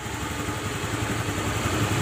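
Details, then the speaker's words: Honda Beat scooter after repair of klotok knocking (worn piston pin/connecting rod, piston replaced with 50 oversize): idles with steady, even putter, rough clatter gone. "nah bunyi Klotok kletok atau kletek kleteknya udah hilang ya tuh Coba dengerin dari sini nah udah hilang ya bunyi yang kasarnya"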